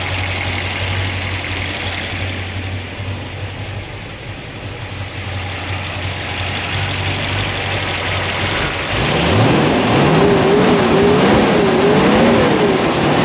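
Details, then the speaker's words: 1976 Corvette V8 after binding roller rocker trunnions were fixed, still cold (gauge just over 100°): smooth idle that rises cleanly when revved, with no top-end racket. Normal valvetrain noise. "this sounds way better it's still not even warmed up where are we at so you can get in there and see the temperature gauge we're just sitting right over 100° so we're not even warmed up [Music] yet that sounds like normal valve train noise mechanical"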